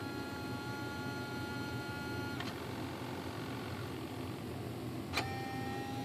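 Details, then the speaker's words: Tower Hobbies / ST Model Arcus M retractable motor system: thin steady electrical whine with occasional pitch jumps as the servo sizzles while holding position without moving, during transmitter throttle/retract setup; cause unclear. "the sizzles is they're talking about I can hear the sizzle holy crap stop not sure why"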